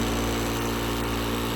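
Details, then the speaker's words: House water chiller (about 12 °C) serving a Vacuum Atmospheres HE-43 glove box circulator heat exchanger: steady even hum with low tone and faint whir; running normally, just a little noisy. "the other thing is we're using a chiller here our house chiller it's a little noisy so I shut it down for now"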